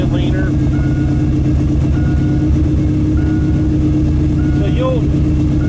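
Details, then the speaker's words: Carbureted engine with electric choke after cold start, warming on fast idle: steady, even low idle hum with no misses or surging, smoothing out and going leaner before the pedal is tapped to drop fast idle; normal warm-up. "and now it's warming up so over here to the tack you can see it's now you can hear it kind of smooth itself out"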